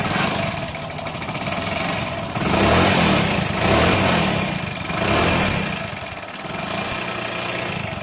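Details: Hero Honda Splendor Plus single-cylinder before a half-engine (top-end) rebuild runs unevenly with a rough, rattly rumble that surges and sags and smokes heavily; worn top end burning oil.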